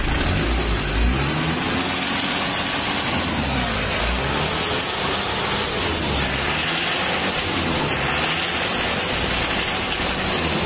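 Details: Mitsubishi L300 diesel blowing thick white smoke and vibrating at 2500–3000 rpm, after an earlier small timing belt break: a harsh, crackly clatter rising and falling with revs. Cause is valve clearance out of spec and an air filter clogged by the silencer.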